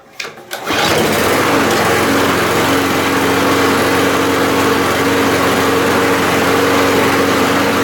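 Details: 2018 Briggs & Stratton engine after a dislodged float pin was refitted to cure a fuel bowl leak: catches after a brief pull, steady even high-pitched drone, no misses or surging; normal running.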